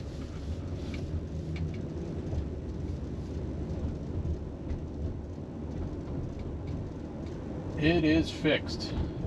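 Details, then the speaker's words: 2001 Toyota Avalon test drive on back roads after replacing rear sway bar bushings: steady road and tire rumble, no clunks or rattles over bumps; clunk fixed, rear suspension quiet. "no rattle that solved it those rear sway bar bushings took care of it that's great"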